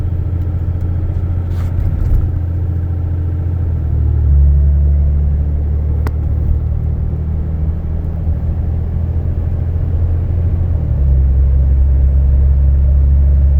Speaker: So I'm going to keep the cruise set of 60, 61, 62. And just real quick, as you can tell, there's no drone. I mean, this sounds stock on the inside with the windows rolled up.